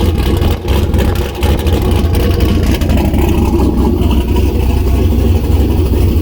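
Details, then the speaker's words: Turbo LS-swapped Miata first start with new open downpipe, no O2 sensor bung yet, turbo coupler not connected: loud deep rumbling exhaust at uneven lumpy idle, smoking; runs unhappily without the O2 sensor. "oh that sounded pretty good it's still loud it's smoking yeah"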